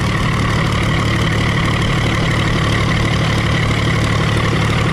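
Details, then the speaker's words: Early Case 930 diesel tractor, believed 1960, possibly first start in about 14 years: steady low idle chug with only an occasional faint stumble, not missing on a cylinder, running cleanly; no blow-by noted. "She's straightened up. can't believe it's running that good. That's idle speed right there."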